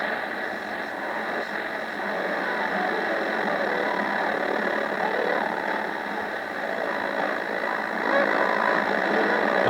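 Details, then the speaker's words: Yaesu FRG-7 communications receiver tuned to a station: rough, gritty midrange audio with no clean low end and a noisy wash; distorted sound; owner suspects bad or leaky electrolytic capacitors. "as you can hear the sound quality is pretty bad so might well not my for sure we'll need to take a look"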